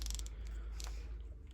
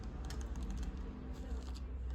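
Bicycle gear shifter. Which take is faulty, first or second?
first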